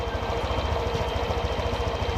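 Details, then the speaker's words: Honda Vario 125/150 scooter with idle air screw turned an extra half turn past factory two turns: quick even pulse sitting high, likely above 1600 rpm (normal about 1500–1700); idle too high from air screw opened too far. "disini terdengar motor tersebut idealnya membesar mungkin ini di atas dari 1600 karena batas tes Unair minimal adalah 1600"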